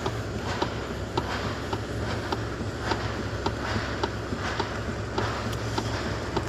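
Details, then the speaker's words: 2015 Lexus ES350: sharp light clicks about twice a second over low engine hum, from inside the steering column's lower section; column to be removed to find a loose part or faulty shaft assembly. "I confirm the problem the noise just came from uh steering colum downside must be removed this steering column complete and uh confirm where is the noise maybe there's something lost or this uh steering ship assembly you see here the inside clicking"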